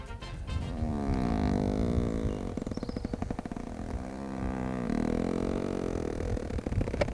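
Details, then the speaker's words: 2020 Range Rover Evoque, electrically operated seat backs being adjusted: low buzzy groan sliding up and down in pitch while the seat back moves, a loud but normal seat motor noise listed as an annoyance. "when you move the electrically operated seat backs they make this noise"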